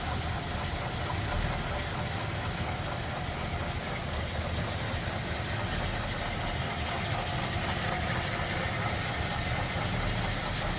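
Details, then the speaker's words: 1941 Ford Super Deluxe convertible, flathead with single carb and 6-volt system, 41,494 believed-original miles, idling in neutral with hood open; smooth, even low rumble, no knocks or misses, running healthy. "Pretty stock looking underneath there too. Smooth, running, flatty."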